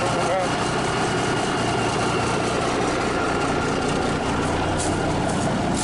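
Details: Cummins 350 Big Cam (low flow) diesel in an approx. 1991–92 Kenworth, first start after sitting for years: steady, even idle with a smooth low rumble, no knocks or misses. Normal idle.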